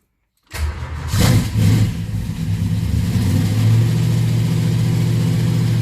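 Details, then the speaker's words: 1967 Plymouth Belvedere 440 big block with a Mopar Performance purple solid flat-tappet cam, first fire-up after valve adjustment (exhaust had been sloppy) and fresh oil and filter; fires at once, blips, settles to a steady deep idle, no clear valve tick. "So, all wet together, fresh oil, fresh filter, jump in it. First fire up since doing the work."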